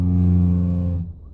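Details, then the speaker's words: 2014 Chevrolet Prisma with hydraulic power steering: low buzzy droning groan for about a second when turning, heard after replacing left stabilizer link and right ball joint and doing an alignment; cause not yet found, reservoir cap test planned. "Aí após sair com o carro para depois de alinhamento, aí foi fazer a curva, fez esse barulho aqui, ó."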